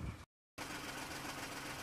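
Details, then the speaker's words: VW Polo petrol engine idling unevenly with a stumbling, shaking beat; engine light on, seat shaking, fault codes cylinder 1 misfire (16685/P0301) and purge flow. "and the engine is jumping around a bit while there so we're going to plug it in and run some diagnostics"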